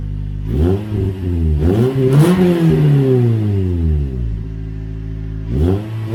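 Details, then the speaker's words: Toyota Corolla (non-S) with newly installed Borla exhaust, first startup: deep, smooth rumble rising and falling with revs, not too loud, no rasp or rattle; healthy exhaust note. "I think it sounds pretty good um it's not too loud not too raspy at all very deep tone to it"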